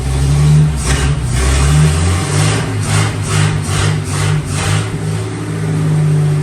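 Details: 1954 Fargo half-ton flathead six freshly rebuilt with new piston rings and adjusted valves, first startup: low, even rumble with a few gentle throttle blips, no knocks or misses, running properly. Slight smoke from oil burning off the manifold.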